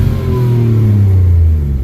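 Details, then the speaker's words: 2008 Nissan Altima coupe, 3.5 V6 with 6-speed manual, 103,827 miles, Copart car, just jump-started with a jump box: healthy engine revving, smooth even rev climbing and settling cleanly with no knocks or rattles; owner says it sounds good. "Oh, she started right up. Praise the Lord for that. Actually sounds good too."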